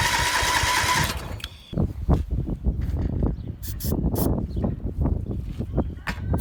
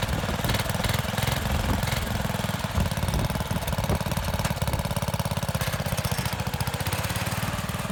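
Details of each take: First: MTD lawn mower being built into an off-road mower; starter churns engine in uneven chugs and clunks without catching; no spark, later restored after releasing the parking brake and adjusting the headlight wire. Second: MTD lawn mower (off-road mower build) small single-cylinder engine running steadily at a fast, slightly uneven beat, easing down near the end, just after spark was restored; firing and running normally.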